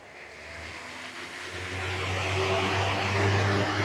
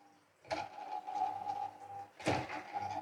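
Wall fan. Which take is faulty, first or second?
second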